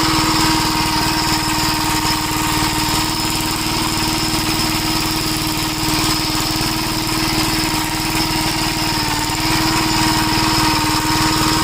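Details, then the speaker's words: 1961 Gravely Model L tractor single-cylinder engine runs with a rough, uneven beat and occasional pops. The owner suspects a lean mixture, as richening the carburetor does not stop it and fuel leaks from the inlet, possibly the float. "Now it's coming out of the inlet and it acts like it's running lean. No matter how much I richen it up, it does that popping."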